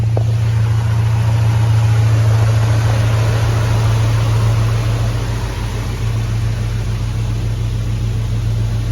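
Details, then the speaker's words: Hemi-swapped Jeep Grand Wagoneer, idling as it warms up, previously bogging and idling down low once hot: steady, deep, even idle with firm exhaust note, no dipping or stumbling; sounds healthier, problem not yet confirmed solved. "Sounds better. I'm just waiting to see. It's doing better, because I think by this point it was starting to idle down real low, but we'll just have to wait and see. Just got to give it a minute. The motor sounds healthier. I actually hear the exhaust now."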